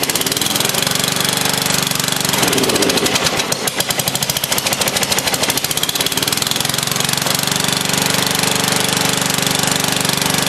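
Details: Old free Lawn Chief riding mower, first start on a dribble of gas with a makeshift battery hookup: engine chugs unevenly and lopes at about three beats a second; runs rough, owner thinks it needs fresh gas and a tune-up.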